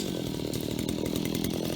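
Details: Stihl HT75 extendable pole saw bought at auction, cleaned and refuelled, chain sharp: high-revving two-stroke chewing steadily through wood, chain pulling evenly without bogging; normal healthy cutting.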